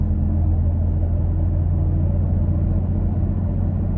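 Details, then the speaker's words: Toyota Tacoma in cabin at about 35 mph, window shut, checking for wind noise from bed-mounted recovery boards: even low road and engine rumble, no whistle or flutter; normal cabin road noise. "i don't hear anything other than normal uh truck noises so nothing there"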